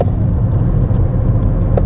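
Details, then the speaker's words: Cheap, neglected Volkswagen Polo S cruising low on fuel: a steady low drone under road rumble, with no knocks or grinding, identified as the unmistakable hum of a worn rear wheel bearing. "Ah, we've got a wheel bearing noise coming from the back to add to my long list of problems with this car. You can definitely hear the unmistakable... thought we'd run out of fuel then. The unmistakable hum or din of a wheel bearing."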